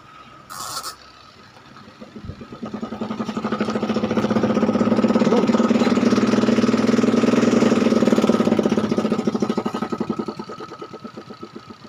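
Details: Panasonic twin-tub washing machine whose spin-dry tub clatters roughly about four knocks a second from plug-in; tub is aligned and motor is fine; cloth caught on the shaft causes the noise.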